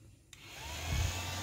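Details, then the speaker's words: Old Yamaha Vixion with code 21, coolant temp reading -21 °C and radiator fan not turning when hot: fan commanded via scan tool spins up into smooth even hum with no rattle; fan and relay normal. "Oke, ini kita pastikan kipasnya berputar, relay-nya pun normal. Nah, Teman-teman, ini berputar."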